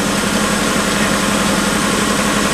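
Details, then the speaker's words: 1990 Subaru Legacy wagon parts car, about 188,700 miles, just driven 50 miles, idling in neutral, heard from inside the car: smooth, even petrol idle with a steady hum and no ticking, stumbling or misfire; normal idle. "so bottles nice perfect idly"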